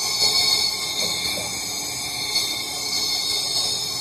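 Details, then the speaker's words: Engine after timing belt broke, leak-down test with cams loosened, engine stopped: steady airy hiss of air escaping past bent valves, huge leakage on all cylinders; needs a head job with new valves. "we don't have a small percentage leak we have a humongous league and just like I said I've already done this and it's on all cylinders and you can actually hear it on"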